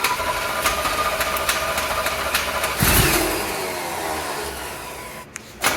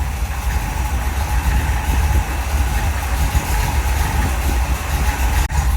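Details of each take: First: 1975 Chevrolet C10 on a crank test after fuel pump checks, where a bad diaphragm is suspected. The starter grinds the engine over at a sluggish, uneven pace for several seconds without catching: slow cranking, no start. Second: 1975 Chevrolet C10 V8, spare engine from a second engine set: deep, even burble at steady idle with no knocks or misses; power steering fluid was low; engine sounds good, normal idle.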